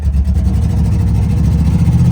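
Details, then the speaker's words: Chevy square-body truck barn find run after sitting for years, fresh fuel and new battery: deep V8 rumble labouring and bogging with throttle floored; suspected junk in fuel system, needs tune-up. "Yeah, we're not getting too much here on the throttle."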